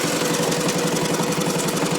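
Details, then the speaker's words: Gravely L8 tractor fitted with a 10hp Launtop (Chinese clone) diesel, pull-started using the compression release lever: even, rapid thumping at a steady idle, about a dozen beats a second, no misses or knocks; smooth, healthy running. "and I'm going to grab the start handle, and up she goes. And real smooth running engine."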